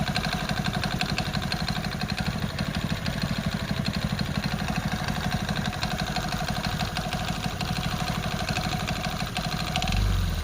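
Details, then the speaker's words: Hero small single at idle: low loose knocking around three beats a second, uneven spacing; crankshaft knock. "तो guys जो सुन लिया वो sound उसका crank का है। अगर आपकी गाड़ी में ऐसा साउंड आए तो आपको समझ लेना चाहिए कि आपका इंजन का क्रैंक का साउंड है।"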